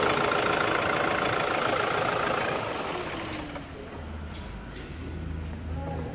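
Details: Toyota Hilux diesel after injector replacement and decarbonization: even clatter at about three to four knocks per second, settling after start-up into a steady idle with no missing cylinder.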